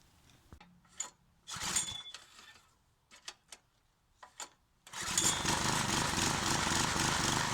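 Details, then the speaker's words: 20-ton Clarke log splitter after sitting outside 12 years, carburetor replaced and engine swapped: after some clatter the small engine starts and settles into a steady, even run with no stumbling; now splits bigger logs without bogging down. "it's splitting much bigger logs than it was last time and does not seem to bog down and die on me like it was doing"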